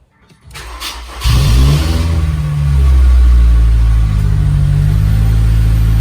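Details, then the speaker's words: Honda S2000 after replacing the PCV valve that caused a rattling noise: cranks, catches cleanly and settles into a steady, even idle with a smooth drone; rattle gone, small noise left from a loosened heat shield. "The sound did go away, so that's good. There's still a noise being made because I loosened a heat shield earlier."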